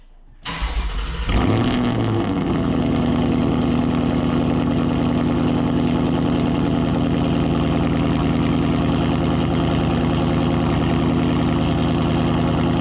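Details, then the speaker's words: 2019 Ford Mustang GT V8 with active exhaust set to quiet start: cranks, flares to a loud bark and settles into a booming fast idle, extremely loud despite quiet start mode; active exhaust clicking also suspected. "okay as you can tell that's extremely loud and that was absolutely not quiet start"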